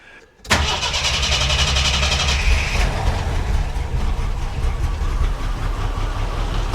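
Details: 1982 Jeep Scrambler, AMC 258 inline-six, Weber 32/36 carburetor with fuel pressure raised to 5, vacuum cap removed; previously doggy. Catches quickly, settles into steady even idle, no stumbling or hunting; runs healthy.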